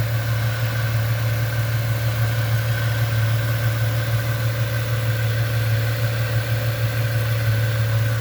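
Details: 1998 Ford Mustang, first start after about ten years sitting, warming toward normal temperature: steady, even low hum at constant speed with no misses, knocks or ticks; very smooth, quiet healthy idle.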